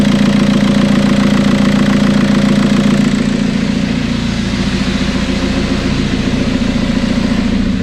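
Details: TDI diesel swapped into Toyota Tacoma, first start after engine and wiring work, no coolant in it: diesel settling into even idle right after starting, steady rhythm, no knocks or misses; sounds healthy.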